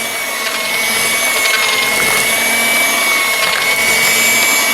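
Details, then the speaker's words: Ambiano cordless hand mixer on speed three with larger beaters, mixing thick batter on one battery bar: steady high-pitched motor whine holding speed with a light beater swish, near corded-mixer strength; normal running under load. "you can see the way this thing's working might remind you of a corded mixer granted it's not as strong as a corded mixer but it's uh kind of up there"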